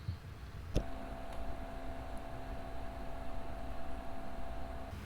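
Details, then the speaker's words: ID-Cooling Space SL360 360 mm AIO liquid cooler at idle, pump always at full speed, fans unplugged, microphone about 40 cm from the pump: quiet steady high whir with a faint constant tone over low hiss, no rattle or gurgle; normal. "I'm going to unplant the uh fence and this is how it sounds like with the pump away from the microphone about 40 cm"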